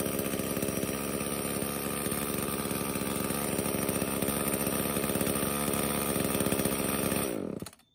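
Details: Echo CS-305 chainsaw, two-stroke, after new purge pump bulb and air filter: buzzes at steady, even speed about seven seconds then winds down; runs cleanly, no stumbling.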